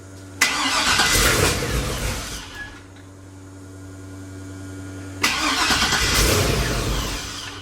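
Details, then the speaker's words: 1957 Chevy with LS swap on first start, fuel pump wired without shutoff: two starts, each catching about two seconds then sagging and stalling, won't hold idle. "I'm gonna get in the car so I can hit the gas pedal you know try to keep it running"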